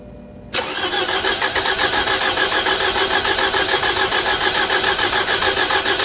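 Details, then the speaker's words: 2011 Toyota Camry 2AR-FE, start after replacing lifters and rocker arms, battery 750 CCA: cranks and catches, idles with light quick regular ticking about three a second, suspected new lifters not yet filled with oil; no rattles, slight exhaust haze, check engine light. "I will expect to hear some noise from the lifters because they're not, like, you know, they're not, like, what's the word? They're not saturated in oil"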